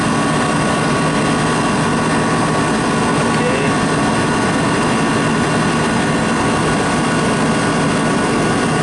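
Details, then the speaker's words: Walk-in pizza dough cooler refrigeration unit after condenser fan repair, pressure settled to suction level: constant airy fan rush over steady hum, no rattles or cycling; system running well, holding high humidity. "a nice system. It's doing its job with the high humidity to keep the dough moist."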